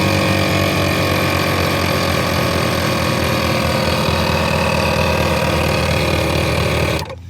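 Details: Second-hand ARB CKMTA12 twin on-board compressor on an H3 Hummer, after fixing loose desoldered copper wires inside both motors: even fast motor drone with steady pump pulse, no rattle or stalling, cuts off cleanly; normal running.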